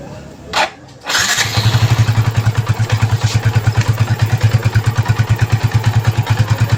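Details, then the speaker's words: Yamaha Vixion after engine seizure from running out of oil, rebuilt with new block, piston, valve seals and gaskets: first start after reassembly cranks, catches in about a second, then settles into an even, steady idle thump with no knocking or ticking; healthy. "Oke, untuk suara mantep banget guys, adem."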